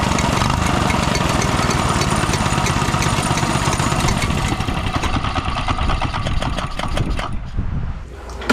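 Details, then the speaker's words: Used mini bike, small single-cylinder engine, after cleaning tank and fresh gas: pops along at a fast, slightly uneven beat, then tapers off; running on its own, healthy enough. "Well, like that, it runs. I'm actually pretty happy with that for $100."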